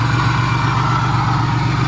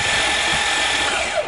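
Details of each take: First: Van engine idling with a deep, steady, even rumble, no knocks or stumbles, on its first start after being hydrolocked by driving into water; intake manifold removed to drain water, some water likely still inside. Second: Hydrolocked van with intake manifold off, cranked to blow water out of the cylinders: fast, smooth, even whirring with no compression pulses, the sound of an engine with no compression; starter motor good.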